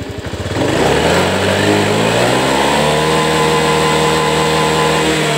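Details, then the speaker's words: Honda Beat ESP scooter after hard-starting fix, kick-started, fuel pressure 41 psi: picks up cleanly from idle, pitch climbs smoothly and holds steady without stumble; previously wouldn't rev; normal revving. "Ini sudah normal kembali nih, Teman-teman."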